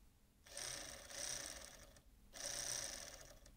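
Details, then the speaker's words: Sony MiniDisc deck (MDS-JE510/JE320) sled motor bench-fed about 8 V: two bursts of thin high whirring with no load change, motor spins freely without driving the worm gear; suspected slipped cog or worn nylon gear, unconfirmed. "it just looks as though it's not engaging with this worm gear here so if I had switched the polarity she'd go in the other direction"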